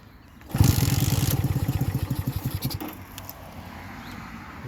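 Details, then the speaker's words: 1965 Honda CB160 with 1,070 miles, carbs cleaned and new points and condenser, kicked on reserve fuel. A couple of weak, uneven chuffs fade out; it fires but fails to start. The right cylinder earlier had a fouled plug. "she tried to fire let's do that again"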